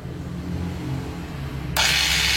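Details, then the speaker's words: DIY cordless grinder built from a broken corded grinder, on a freshly charged 20 V 4 Ah battery, switched on for the first test: a steady, quiet high whir with no grinding or rattle. It works and spins counterclockwise. "Nah, bunyinya sangat pelan ya teman-teman. Jadi bunyinya itu ramah di telinga ya. Ya, namanya juga baterai ya, beda dengan listrik langsung."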